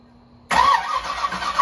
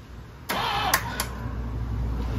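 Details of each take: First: 1984 Camaro Z28, supercharged 355 small-block with Brawler 750 carb, sat over a year: with starting fluid sprayed in the carb it bursts roughly and briefly, then stumbles without settling. Owner suspects the timing is completely off. Brief firing on starting fluid. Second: 1984 Camaro Z28, 355 small-block with Weiand 144 supercharger and Brawler 750 carb, sat over a year, messy wiring, cranked by touching wires together: a click, then the starter spins the engine evenly for two seconds. Normal cranking.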